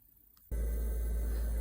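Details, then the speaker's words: Whale underslung heater fan motor (model SI4312(B), 2013 Bailey caravan) reinstalled after cleaning out dirt causing blocked-vent fault, test run: click then smooth steady low hum, no rattle or wobble; running sweet. "Um, motors running as sweet as a nut. I think it was purely filth and dirt and crap that was in there."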